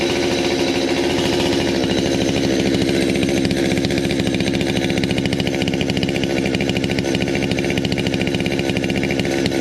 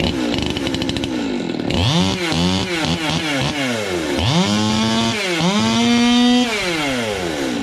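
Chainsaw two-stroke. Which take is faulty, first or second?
first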